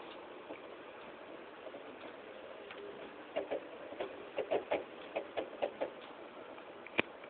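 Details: Under-two-week-old PS3 Slim 160GB playing Modern Warfare 3 mid-match: sharp dry irregular ticks, about a dozen in three seconds; silent when disc ejected, owner suspects Blu-ray drive or disc.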